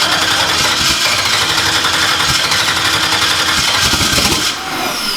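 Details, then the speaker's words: Newly installed engine, first start attempts with a little throttle, no longer spraying fuel like before: catches and runs raggedly with uneven firing, dies within seconds; starts but won't stay running, fuel pressure being checked. "I don't know. It won't run long enough to"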